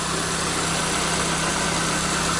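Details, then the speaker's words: Peugeot 207 after oil leak repair that became a cylinder head rebuild, oil and coolant checked: steady even petrol idle, smooth low hum, no ticks, knocks or stumbles; declared perfect, normal idle. "vamos ligar o carro e é isso aí funcionamento liso E aí é perfeito"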